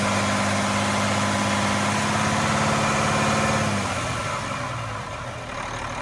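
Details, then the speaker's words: Cummins M11 diesel semi truck (same process as L10/N14) after fuel system priming/bleeding following new fuel lines: starts fine, raised-speed drone settles to an even, regular idle with no stumbling or misses; no more air bubbles. "so in conclusion, truck starts, no problem. System is bled now. When the truck's running, there's no more air bubbles going through."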